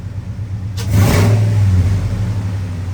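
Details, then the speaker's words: 2002 Ford F-150 Harley-Davidson edition supercharged V8 with new cold air intake, still cold: low idle rumble swells smoothly into a short light rev and settles; supercharger audible, boost gauge moved slightly. "but I want to see if we can hear that supercharger in oh yeah oh she she's wonderful oh yeah I bet when I get it out on the road it's going to wind like crazy"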